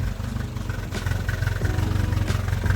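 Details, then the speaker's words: 1967 Volvo 122S that sat 35 years, running after clutch slave cylinder work: steady lumpy idle with light, rapid clacking on every firing pulse; a noisy top end, likely loose valve lash. "There she is. Have you ever seen something more beautiful? Just clacking away."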